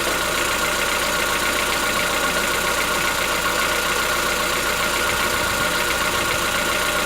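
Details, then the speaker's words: Chevrolet Onix 1.4, 2014-15, petrol, cold idle: fast, light ticking over a steady idle with no speed change, lasting about 10 minutes after a cold start. Present since 0 km and worsening yearly. Owner suspects a tappet knock, not injectors; dealers call it characteristic. "Não é barulho dos bicos trabalhando, é dentro do motor. Conforme o ano vai passando, o barulho vai aumentando."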